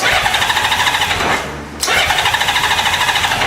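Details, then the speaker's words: 1998 Honda Goldwing GL1500 SE, battery at 11.46 V and not charging: the starter chugs about nine beats a second, sags, then picks up; slow cranking suspected from a low battery, while the starter itself sounds healthy. "kind of slow starting I believe cuz the battery vs [Music] that starter sounds healthy"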